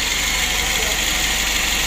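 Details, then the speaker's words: Daihatsu Gran Max 1.3 petrol engine after rebuild with valve clearance set (0.10), warm after about six hours of test running; steady even idle, smooth hum, no knocks, ticks or misses, radiator fan working; engine confirmed fine. "lalu utuk X rasanya ya kipas radiatornya juga berfungsi dengan baik jadi untuk mesin ini Sudah kita pastikan aman"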